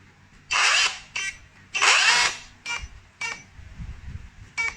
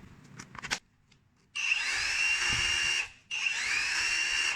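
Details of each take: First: Dongcheng rotary hammer with motor rubbing: runs in short harsh bursts with a scraping rasp, rotor rubbing stator, stopping and starting under load. Likely a damaged bearing lets the rotor wobble; not a controller fault. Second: Dongcheng rotary hammer after repair of a worn bearing that let the rotor rub the stator, test run in drill/hammer-drill mode: two short runs of steady, even high motor whine with no rubbing or grinding; normal running.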